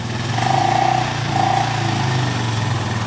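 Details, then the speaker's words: 2007 Honda four-wheeler ATV revived after five or six hours of work; steady, even putter with a smooth low drone and no misses or knocks; normal idle. "it's running [Applause] sounds pretty good [Applause] sounds smooth give a little gag"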